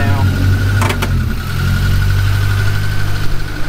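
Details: Cushman kei mini truck with a rebuilt petrol engine, after timing and carburetor idle adjustment: steady, even idle with a smooth low hum, no misses or knocks.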